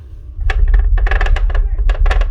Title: APERION BRAVUS II 12D 650W SUBWOOFER making a rattling sound